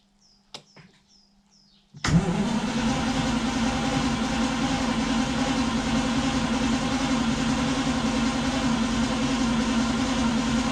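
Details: 1960 B-spec Daimler Dart SP250, first start after three years dormant on a NOCO GB40 jump pack: quiet clicks, then the V8 fires at two seconds and holds a steady, even idle. A clean, normal start and idle.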